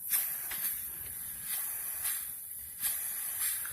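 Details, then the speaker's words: Turbocharged car with intake system pressurized by air compressor, engine off: thin, high-pitched hiss with faint pulses from a leaking vacuum line, the boost leak causing loss of 5 psi boost. "I need to fix this vacuum line right here that's where my boots leak is coming from that's why I'm not getting 5 psi anymore"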